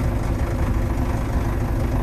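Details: Old Case International 8840 swather diesel, just started on one battery after a loose battery cable was fixed: deep, steady rumble running evenly at idle, no hunting or misfire; runs normally.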